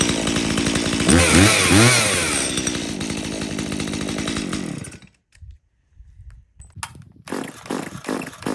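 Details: Stihl MS170 chainsaw that doesn't run well, started outdoors after its fuel was checked clean with no water and the bar oil found full: ragged revs, then an uneven surging idle before cutting out. Poor running, cause not yet confirmed.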